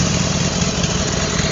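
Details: Motorcycle twin after fitting a new matched pair of pistons and cylinders, not yet run in: even, steady beat with no slapping or knocking; the earlier noise, judged extreme piston slap, is completely gone.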